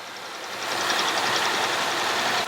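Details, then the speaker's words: 2016 Ford F-150 XLT after belt change and AC belt tensioner replacement, idling: steady even idle with light quick ticking, no belt squeal or chirp and no leaks; sounds healthy. "Alright, she sounds good. No leaks, no squeaks. That's what we want."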